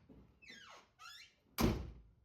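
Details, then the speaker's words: Car door on a project car during door bushing replacement, before new bushings fitted: two rising squeaks as the door swings, then a single dull, hollow thud on closing instead of a crisp latch; cause suspected, not confirmed. "sounds kind of dull let's replace them real"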